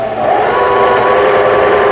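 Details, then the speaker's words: Old 220V-only Singer 7422 sewing machine after repair of its faulty upper-thread tension dial unit, stitching fabric; steady, even motor whir at constant pitch, very quiet, no clatter, binding or skipping. Normal stitching run. "그렇죠? 아주 조용하게 바느질이 잘 되는 걸 보실 수가 있습니다."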